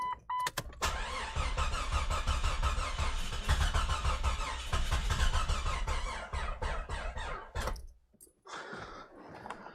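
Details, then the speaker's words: Jeep XJ 4.0 inline-six, first start after engine rebuild on a weak battery with jump starter: cranks, catches and runs unevenly with a chuffing beat, then cuts out; cause not confirmed. "You guys heard it run. A few more things to check on it, but it ran. Not super well, but it started and ran."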